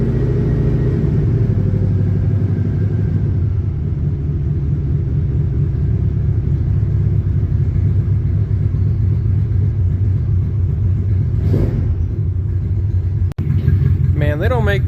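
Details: Old boxy flat-four car after a snowy cold start with a little gas in the tank: a steady, even low rumble with no knocks or misses, running healthy though near out of fuel.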